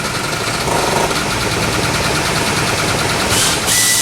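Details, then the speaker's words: Chevy Nova with newly fitted electric vacuum pump for the brake system: loud, ragged running with uneven crackling beats and no steady rhythm; doesn't sound healthy, cause not yet found. "Doesn't sound very healthy."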